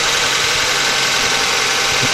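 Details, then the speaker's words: 1999 Honda Accord, F23A engine, cold start after sitting overnight, after refitting slipped timing belt and clearing plugged MAP sensor vacuum port (P0108, P1129): even, busy cold idle, no stumbles, misfires or knocks; no check engine light. "so this car is sat overnight let's give it a cold start and see how it runs [Music] alright I'm pretty happy with that no check engine light"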